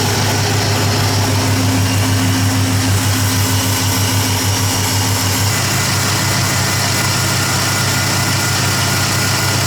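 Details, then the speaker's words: Ford F-150 at idle after driving through deep flood water: constant hiss and rough, even whirring on the belt drive; belt tensioner pulley bearing washed dry of grease, found and repaired. "So, actually from where I'm standing, it sounds like it's a pulley or a bearing."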